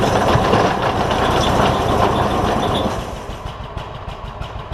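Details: John Deere ZTrak Z915E, Kohler V-twin, sat 2 years; after carb clean fixed a sticky solenoid causing no fuel. Warm engine gives a steady, even throb, settling slightly, no misses or knocks; normal running.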